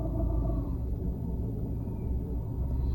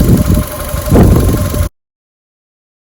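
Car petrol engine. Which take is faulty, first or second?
first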